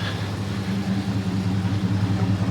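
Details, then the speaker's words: 2001 Dodge Durango SLT 4.7L V8 4x4, salvage vehicle, intake mod, Flowmaster 40 series exhaust and MagnaFlow cat, jump-started on a weak battery: deep, steady V8 burble at idle, no knocks or ticks; sounds healthy. "all right I had to jump it off the battery was a bit dead but uh that's what it sounds like it sounds pretty good"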